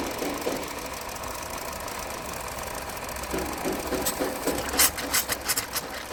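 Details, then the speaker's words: 2023 Hyundai Verna petrol BS6 automatic, also overheating, losing coolant and starting late in the morning; at idle a loose, uneven tak-tak knock about three per second, sharpening toward the end, suspected piston slap, not yet confirmed. "और दूसरी चीज engine के अंदर से एक sound आ रहा है टक टक वाला जो कि या तो पिस्टन का साउंड है या फिर किसी चीज का वो चेक करते हैं।"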